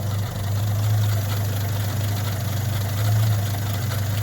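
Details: 1963 Rover P4 110 2.6 manual with overdrive, showing 10463 miles (unverified), idling after a quick start: low steady idle hum with a faint occasional stumble; a slight idle misfire, cause not confirmed.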